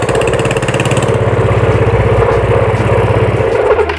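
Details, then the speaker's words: Yamaha Mio scooter stored for 5 years, serviced with a replaced carburetor, the dead ignition coil found as the no-start cause: steady low putter with an even beat at idle before switch-off. Running normally. "Ya teman-teman, karbunya sudah enak hidupnya ya."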